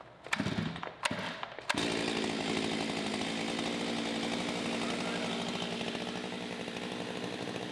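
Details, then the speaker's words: Stihl MS361 chainsaw after muffler mod (reduced back pressure): a few short pulls, then it fires and holds a raspy, steady high idle; may run leaner, owner expects to adjust high-speed carb screw and idle (LA), unconfirmed. "it is running leaner, which I'll need to adjust the high adjustment on the carburetor. But we're going to run it for a little bit and see what we think."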